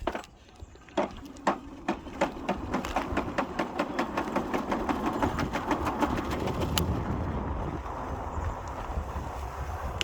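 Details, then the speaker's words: Himiway Cruiser e-bike hub motor, which earlier cut out with a suspected error 24 code and then resumed working: rapid uneven clacking, about three knocks a second, over the motor's rumble while riding; it sounds like it's falling apart. "it actually cut off on me about a month ago and did a error 24 code i believe and then it started working again but now it just sounds like it's about to fall apart"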